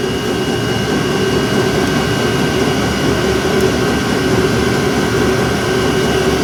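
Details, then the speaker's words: 12V trailer jack motor driving a rusty screw thread that has been soaked in WD40: steady motor drone with a coarse, even grinding rasp throughout; the thread is suspected to be cutting or chewing on damaged, rusty threads. "sounds like it's cutting threads that's weird yeah I did kind of cut some shads there a bit"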